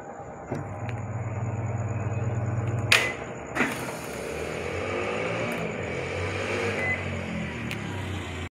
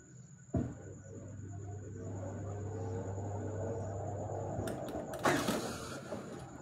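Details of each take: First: Haier automatic washing machine in spin mode that previously dropped back into rinse, restarted with the spin timer set: even motor hum with a few clicks, then a steady whir as the drum keeps spinning; spin runs normally. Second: Haier automatic washing machine tilted backward: a low motor hum as the drum starts, then a few light ticks as the drum hits the unbalance switch button. The spin quits and the machine drops to rinse.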